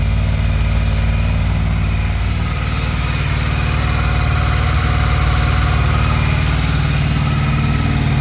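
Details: Honda VFR800 cold start after sitting a while, light rain hiss behind: steady, evenly paced idle pulse, no knocks or misses; normal healthy cold idle.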